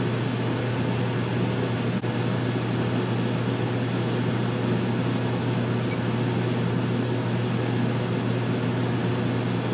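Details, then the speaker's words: Dometic rooftop RV air conditioner, recorded on the roof, before the soft start is fitted: click, then the compressor kicks on under steady fan rush and runs smoothly; inrush measured at 23.7 A; normal start. "i'm gonna go ahead and kick the compressor on i have the inrush set to max we're gonna see what the inrush amperage is for the compressor kick"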